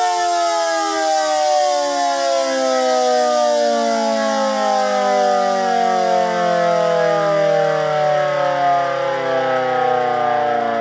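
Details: GS CS-10V15QT siren, full-pitch quick run without skirts: winds up to full pitch and falls smoothly on coast-down; worn motor bearings.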